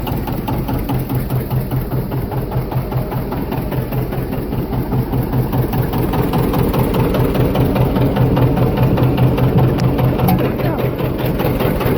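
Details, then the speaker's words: John Deere 730 diesel tractor, belt started for the first time in 8 years after a water pump rebuild: deep, even two-cylinder putt at about two and a half beats a second, holding steady and pulling hard under load; normal running. "It pulls hard. It's nice and tight from that rebuild."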